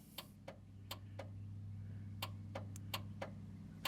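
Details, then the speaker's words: 43-year-old one-owner International Transtar II truck, sat over 20 years, engine start button pressed: sharp uneven clicks about three a second over a low hum, heard at the back, engine never turns; starter clicking, no crank. "well hey push it but it just keep clicking it cuz I hear"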